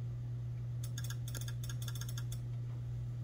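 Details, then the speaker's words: Microwave with door sensing switch unplugged: quiet mains hum, then quick cluster of sharp metallic clicks as relay number 1 on the board, the oven lamp relay (also controlling fan and stirrer motors), pulls in as the light switches. "That's relay number 1 on the board here. The oven lamp relay."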